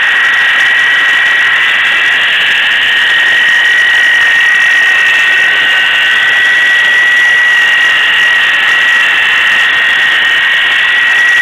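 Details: Ford Crown Victoria Police Interceptor idling with loud steady high-pitched squeal from a failing idler pulley bearing; replacing the idler pulley fixed it.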